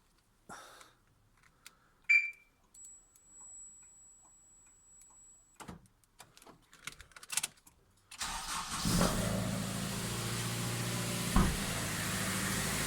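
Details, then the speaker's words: Honda Civic Type R EP3 after a new injector driver was soldered into the ECU, wires temporarily twisted together: starter whirr, engine catches cleanly and settles into a smooth, even idle, no misses or knocks; repair successful. "Yes. Oh, that sounds good. Sounds good."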